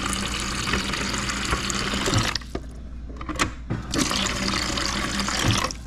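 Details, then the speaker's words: Fridge water dispenser after replacing the in-fridge water tank/cooler because the supply line broke: cold, clear water pours in a smooth, steady stream with two brief pauses, no sputtering or spitting, no leaks; normal flow. "nice cold water coming in don't feel any water leaking good"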